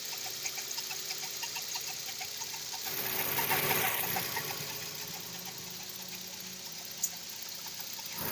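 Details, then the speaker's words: VW Gol G6 at idle: light, fairly regular high-pitched ticking about three per second, audible from a distance, began right after the timing belt was replaced; owner can't locate it, suspects belt or a pulley. "E esse barulho que deu aí quando eu troquei a correia dentada aí. Troquei a correia dentada, começou a dar esse barulho aí."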